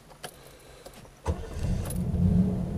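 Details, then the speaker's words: 1975 (owner thinks) Triumph Stag Mark 2 automatic, 95,000 miles; brief crank catches cleanly and settles into smooth, even idle with no stumble; starts beautifully, recently did 150 miles fine; normal engine start. "more lights will come up um and it starts beautifully I did 150 miles in this the other day and performed superbly"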